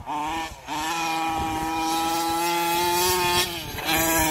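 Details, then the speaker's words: Losi 5T two-stroke on the track, hot: a steady high buzz that sags and dips in pitch twice as the engine bogs; runs fine cold, airflow or the carburetor is suspected, not confirmed. "Wolfe's is really bogging now now"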